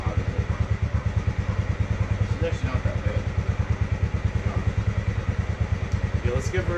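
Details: Polaris Sportsman 600 ATV engine: slow, heavy chugging at about three beats a second that never catches cleanly; hard starting from very low compression, only 120 psi in one cylinder.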